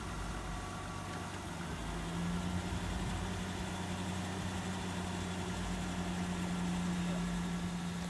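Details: 2000 Ford Ranger XLT revived after long sitting, with brakes restored: low, even idle hum holding steady with no knocks, misses or surging. The engine sounds healthy.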